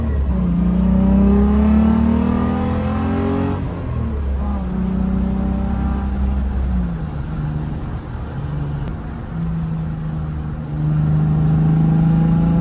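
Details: VR6-swapped 1984 Volkswagen Rabbit GTI catches and revs cleanly, pitch rising and falling smoothly with throttle, settling to a steady even idle after a fuel system rework; no fuel leaks, running normally.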